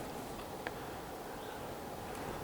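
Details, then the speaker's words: Replacement Noctua NF-A9 5 V 92 mm cooling fan in a 60 W Chinese CO2 laser, replacing a noisy 110 V fan, powered from the laser's power supply, just after installation: quiet even airy whir with faint steady hum, no rattle, running normally. "There we go. It's running. Just like we wanted."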